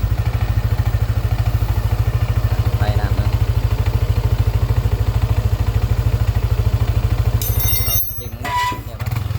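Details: Yamaha N-MAX scooter at about 28,894 km after replacing broken bearings: idles with even, steady low thump and revs smoothly, quiet with no knock or rattle, no white smoke.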